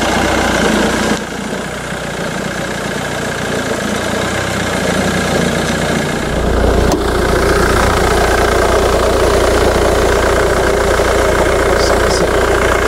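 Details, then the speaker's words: Jaguar X-Type diesel, Jaguar's first diesel engine, idling cold: loud, hard diesel clatter at steady idle, about three to four knocks a second; normal cold diesel idle. "är det så att, ja, ni hör själv, här är lite svårt att överrösta den här just nu när den är kall. Det här är ju, som ni hör, ingen V6 bensinare, utan det här är ju Jaguars första försök med dieselmotorer."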